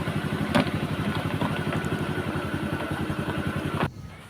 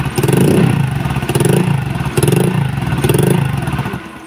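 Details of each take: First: Honda Vario 125 (KZR): starts on one crank and idles evenly at about 1300-1400 rpm, a quick steady putter with no misses or hunting; normal, stable idle. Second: Honda Vario 125 old (KZR) that stalls often, especially when hot, flashing MIL code 52 (CKP sensor): runs rough in uneven surges, sputtering and fading to a stall; crankshaft position sensor or its wiring suspected failed.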